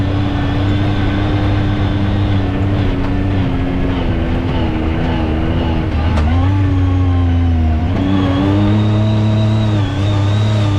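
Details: 2019 Yamaha YXZ1000R SS side-by-side with 5-speed sequential gearbox, clutch and paddle shifters, on a test drive: steady gear whine over the engine rising with road speed and dropping at each paddle shift; normal healthy gearbox whine.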